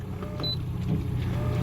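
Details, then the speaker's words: Boat autopilot steering pump with minimum output set to 100% runs at maximum voltage, which is reported okay, giving a low steady hum without easing off while the steering does not move; the pump runs but fails to steer, cause unconfirmed. "so it cannot fix this it's trying but doesn't move so I need to cancel this otherwise I'm going on rocks"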